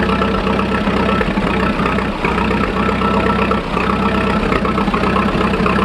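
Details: 1941 Fordson Standard N tracked Roadless tractor ticking over on petrol after a choke start, warming up before switching to TVO: steady, low, even chug with no knocks or misses standing out; normal idle.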